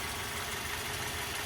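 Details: 2010 Mazda 3i Touring, 2.0 L four-cylinder, manual, 114,000 miles, recorded in the engine compartment: smooth, even idle hum under a fair amount of hiss, no knocking or misses; healthy idle.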